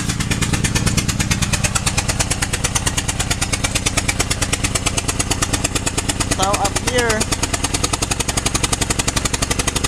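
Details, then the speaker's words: 2007 Honda Pilot, noise after going off a ramp, O2 sensor bank 1 sensor 1 open-circuit code: steady popping lawnmower-like chuff at idle from a spark plug blown out of its cylinder with the ignition coil popped out, leaking compression. "so now the engine sounds like this sounds like a lawnmower right i don't know what's up but here engine light we have o2 sensor that is bank one sensor one and open circuits okay"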